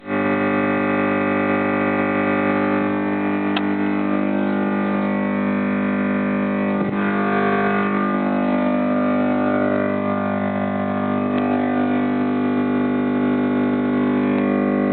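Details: Desktop PC (i5-2400, ASUS H61M-LE-USB3, FSP Aurum 600W, Sapphire 7870, Win 7) locks up with black screen after long BF3 gaming; loud steady looping buzz with faint stutter from speakers during crash, happened three times, owner suspects the 7870 card.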